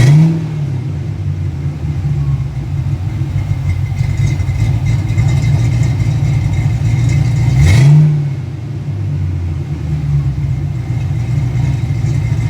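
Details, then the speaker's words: Ford Fox-body car started after years of sitting: catches and runs with a loping, uneven idle, revs swinging then settling; running rich, cause not yet found; a base idle reset is planned. "Running rich right now, but we're there. It's running. That's the important part for right now."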